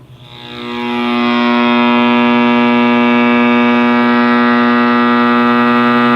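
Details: 1960s General Electric black-and-white TV, back off, powered up after the tube was dealt with: loud steady buzzing hum with a howling edge swelling over the first second, then holding constant, from the speaker; more than one fault suspected, cause not yet found.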